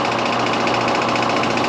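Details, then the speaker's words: York condenser fan motor that is noisy; tightening the mounting screws didn't help and the shaft had up-and-down play: a steady hum with a rough, pulsing rumble. The failing bearing led to the motor being replaced. "today's call is this AC it's just noising just turn it on for me it thinks the bearing's going out"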